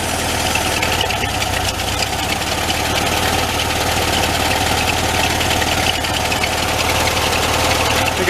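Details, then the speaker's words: 1974 VW Thing, air-cooled engine at steady idle after purchase, run to fill fuel system from tank: faint light high chirp on top; generator belt slipping on its pulley, rust on bottom pulley. Fuel pump also suspected leaking. "got just a belt slipping around the generator a little sure the batteries blow some rust on that bottom pulley gets all the way off"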